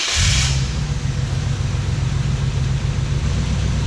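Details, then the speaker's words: Wrecker's petrol engine idling with a steady low rumble and slightly uneven pulse; the timing light read about 18 degrees, too far advanced, after the distributor was bumped while tightening. It was later reset to 12 degrees. "that's about 18. we must have bumped the distributor while we were tightening it up time to try again"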